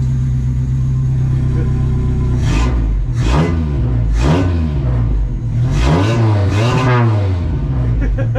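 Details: Toyota 22R four-cylinder mini truck, just reinstalled with a newly built exhaust that is smoking on first run. Smooth, steady idle, then several clean throttle blips that rise and fall evenly with no knocks or ticks; the engine sounds healthy.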